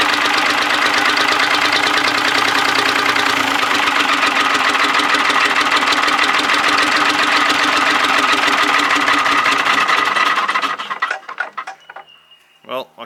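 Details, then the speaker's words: Allis Chalmers bulldozer, Detroit Diesel 3-71 two-stroke with C60 injectors, possibly rated only about 1600 rpm, unstarted for about 20 years: runs hard and even with a steady buzzing beat for ten seconds, then shut down; healthy normal running. "see if she'll go again mate I think it's it's it's doing it what it should really yeah"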